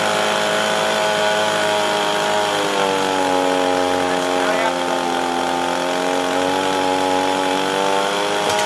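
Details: Echo PB265LN two-stroke leaf blower, rescued from the trash with a seized engine, fuel leak and no start, after repair and carburetor adjustment: steady high buzz near full throttle, pitch dipping then settling; runs smoothly now, though carburetor limits tuning.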